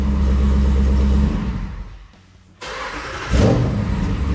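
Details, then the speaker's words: Jeep Wrangler after starter replacement to cure a grinding startup noise: engine catches at once on restart and picks up to a firm, even idle with no hesitation; starting now healthy. "Please start cleanly. Oh, that's definitely better."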